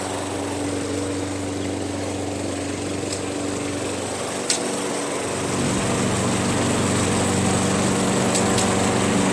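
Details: Craftsman 21-inch self-propelled mower with 6.5 HP Tecumseh engine, after a carb clean removing gum: runs at a steady, even speed with no misses or surging; normal running.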